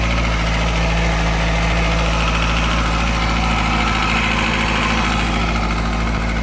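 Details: 2005 Kawasaki ZX-6R, just bought: steady idle with a light, fast ticking over the engine hum. The previous owner claimed it is normal for Kawasaki; cause unconfirmed.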